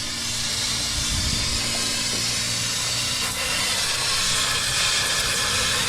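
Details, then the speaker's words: Nissan Titan, AC with a compressor newly installed the day before: loud, steady high hiss over a faint rumble as refrigerant blows out of the bottom of a burst AC line, with a big cloud underneath and AC lost. "Well, looks like we don't have AC now. And a big cloud of smoke come out from underneath it. It was the refrigerant."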